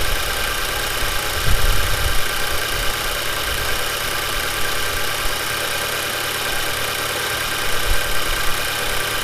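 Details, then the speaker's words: Audi TT Mk2 8J 2.0 TFSI, cold start just after installing a Neuspeed P-Flo aftermarket intake, recorded outdoors in wind: steady, slightly loud cold-start idle with an even low rumble, no knocks or misses and no dash warnings; running fine. "This is a cold start, by the way, that's why it's a little bit loud."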